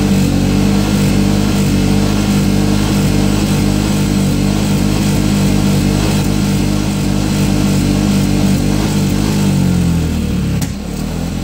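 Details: Piaggio MP3 500 scooter that cuts out at 6000 rpm, suspected of bad fuel: uneven lumpy engine note stumbling and hunting when revved, then sagging nearly to stall; rough running, cause unknown.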